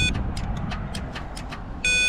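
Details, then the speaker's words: 2023 GMC Yukon Denali that stalled while driving, now no crank: battery at 11.7 V, relay pin 87 powered with power probe, rapid dry clicking about five a second but starter not turning, then warning chime; main 400 A fuse next checked. "And I hear it clicking but it's not starting."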